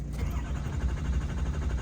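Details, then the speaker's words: Hot no-start diesel: a long, steady cranking churn while injection control pressure builds too slowly, about 290 psi against nearly 700 commanded. Cause not confirmed; dummy plugs are suspected. "Oh, okay, that was a very long start, but that's the problem I got here. It's just ICP is just taking way too long to creep up."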